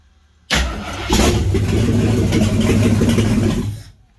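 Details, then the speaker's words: Salvage-yard AMC 360 V8 (5.9L), newly swapped into a 1976 AMC Gremlin, first start attempt with fuel poured down the carburetor: starter spins, then the engine catches and roars unevenly for about three seconds before dying out. "Alright guys, just poured a bunch of gas down there. Let's see if this thing will pop off at least."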